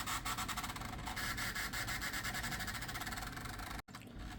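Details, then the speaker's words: Gateway Solo 2500 laptop CD drive reading a restore CD re-burned onto CD-R at 24x: rough rasping and scraping pulsing about three times a second, then cutting out; the drive is struggling to read, cause suspected, not confirmed. "This is a quirk of this computer I forgot it had. Uh-oh. Oh boy, that doesn't sound good."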